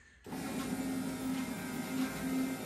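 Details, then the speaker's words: Mazda RX7 SA22C with 13B rotary EFI conversion, newly wired relays, ignition key on: steady low electric hum with a faint whir as both fuel pumps prime normally. "Uh first off, should be fuel pump should prime. So, just turn the key."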